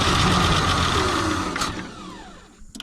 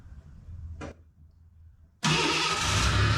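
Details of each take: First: Ford Bronco II, fuel-injected 2.9, sat in a field since 2001, starting fluid used, injectors suspected gummed: steady high electric whine from the fuel pump that winds down and fades with a few clicks; fuel pump running. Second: Ford Bronco II with fuel-injected 2.9 revived after sitting in a field since 2001: starts after a short crank, rough idle with steady whine while power steering fluid looks empty; power steering pump whine.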